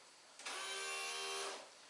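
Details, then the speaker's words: Electric fuel pump on a Holley Sniper EFI install, both main and return fuel lines hooked up, fuel just added, pump test before first start: steady high-pitched whir starts sharply, holds even, cuts off cleanly; pump runs normally and builds pressure. "Oh yeah, that pump's kicking. Ready? Yep. She's pulling some pressure, I can hear it."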